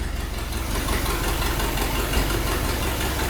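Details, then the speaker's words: Chevy Suburban undriven since the mid-80s, freshly swapped engine with new exhaust and fuel system, old fuel filter, first runs after swap: deep, loping, slightly uneven idle sitting too low; idle needs turning up, timing being checked, cause not confirmed. "we need to turn the idle up I think"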